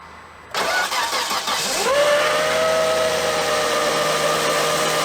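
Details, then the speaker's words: 2006 Volvo S80 T6 B6294T 2.9L on its first start after timing belt and water pump replacement: a steady howl rises in pitch and holds at idle from the timing cover. Timing belt or tensioner misalignment is suspected. "Hear that howling? It's coming from my timing cover."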